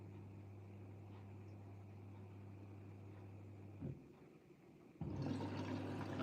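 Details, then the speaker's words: Siemens washing machine, MyTime 40-minute wash with extra rinse, water plus and iDos, in automated test mode: steady low hum with faint trickle then louder rushing as it fills from the steam generator; normal fill, no fault. "So, this is automated test mode. It's actually filling from the steam generator at the minute."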